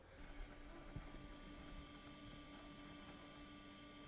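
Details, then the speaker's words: New AUTOONE LED headlight bulbs fitted to a bullnose Ford truck: a faint steady whirring hum with a thin whine. It is both headlights' built-in cooling fans running normally, first mistaken for something on the railroad. "I don't know if you can hear that but there are little cooling fans inside of these that's the noise I was hearing and thought something was coming down the rail road it was both of the cooling fans in these new headlights"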